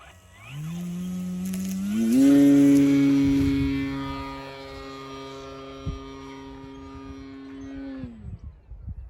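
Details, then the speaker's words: FMS Pitts RC plane in flight after prop balancing: buzzy motor climbs to full power with a harsh rattle; spinner found badly out of balance and prop vibration rattling the rudder, especially in knife-edge manoeuvres. "I balanced the prop and the spinner at the same time and found out the spinner was really out of balance but also the rudder is getting some frequency vibes from the prop as well as it rattles certain Maneuvers"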